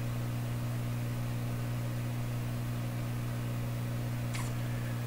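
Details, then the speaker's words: Canadian Admiral J104X/J105X console receiver, assessment at full power with Bluetooth source: constant deep mains-pitch drone on both channels with nothing else playing; heavy hum, possibly due to the test setup or wrong-value resistors, not confirmed. "both channels humming but probably because of the way things are set up here I sure hope that's the case why would you be humming so much"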